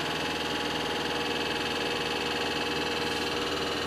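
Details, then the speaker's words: Worn hydraulic lifter in the cylinder head ticking quickly and lightly, about three a second, over a cold idle; not broken rings or a faulty head. "Esse barulho não é anéis quebrado, também não é o cabeçote com problema, poderia ser. Vendo esse barulho? Esse é o tucho do motor que está desgastado ali do cabeçote."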